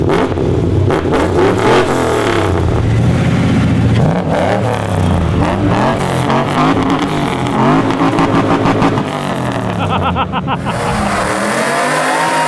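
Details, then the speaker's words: 2004 Chevy Silverado 1500 LT 4x4 V8 with long-tube headers and a stage 4 cam, eBay exhaust cutout valve closed while it still worked: a deep burble that rises cleanly with revs and settles with no rasp or drone, a normal exhaust note. "ah right it sounded pretty good that's why I'm kind of considering just welding the pipe back together and taking the whole cutout out and just having regular because it still sounds good it's quiet enough that it's not obnoxious"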